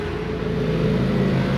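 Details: Baleno DC air fan motor on 12 V, after repairing a no-power-on fault by rejoining wires: smooth steady hum, constant pitch, high speed, no scraping or ticking; runs normally.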